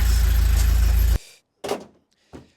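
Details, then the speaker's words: Barn-find Vauxhall Nova engine after service and paint, started in sub-zero weather on a cold, weak battery; even, steady low idle pulse for about a second before shutting off, sounds healthy: normal idle. "I thought it wasn't getting fuel or something but of course it started it was just a bit of cold battery with all this minus weather we're having seems to be running pretty well it sounds like it'sing pretty nice as well"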